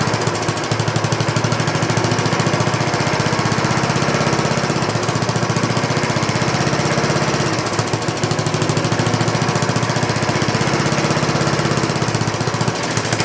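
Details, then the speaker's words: 1960s Roof push mower, trash-picked, fed fuel from a bottle, rings suspected worn: rapid even popping exhaust at steady speed, no miss or knock or shaking; runs on but smokes a little. "Seems like it runs a long time afterwards. Good. Yeah, a little smoky."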